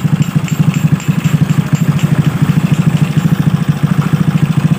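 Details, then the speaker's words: Suzuki Smash motorcycle idling during break-in after new boring and cylinder head fitted, bore machined slightly tight; steady deep chuffing intake pulse, loud because carburetor has no air filter – normal idle, noise is unfiltered carburetor breathing. "suaranya seperti berisik tapi ini bukan ya bukan dari Hey Ya ini suara dari karburator yang tidak ada filternya ya jadi suaranya sedikit apa berisik berisik tapi di bagian ini karbulator ya tidak ada filternya filter udara"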